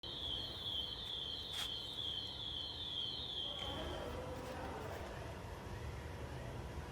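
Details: SAMEBIKE LO26 II e-bike disc brake giving a high, wavering squeal for about four seconds while braking, then fading into rolling noise.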